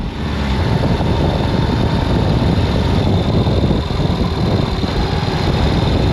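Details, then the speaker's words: Ural sidecar motorcycle after refilling the two-wheel-drive gearbox, which had lost its oil through a suspected broken seal and knocked: an even, steady engine drone while riding, with no grinding or whine; the final drive now sounds healthy. "ये लो, ये ठीक हो गया।"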